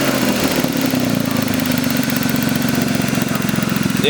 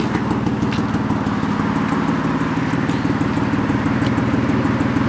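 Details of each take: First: BMW E36 idle after changing a coil pack to fix a misfire: smooth even idle with steady beat, no stumbles or skipped pulses; engine running cleanly. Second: BMW E36 petrol engine at idle with a misfire: an uneven, lumpy beat that stumbles now and then, checked by pulling spark plug and coil connections one at a time.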